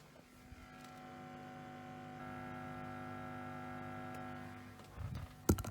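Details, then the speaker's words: Epiphone SG G-400 guitar through amp, reported crackling: steady low ground hum; loose connection or snapped thin wire suspected, grounding fault located after the pickups. "there's a lot of ground hum they're probably in a loose connection maybe wires come loose or snapped inside these very very thin wires in this"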